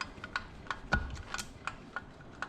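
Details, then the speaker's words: 2005 Honda TRX450R engine rebuild: crisp, separate clicks, about eight in three seconds, as the gearbox shifts up to fifth and back down, with each gear locking in and no grinding. "so it locks in gear so there's first then let's go up there's second third you can hear it click fourth fifth"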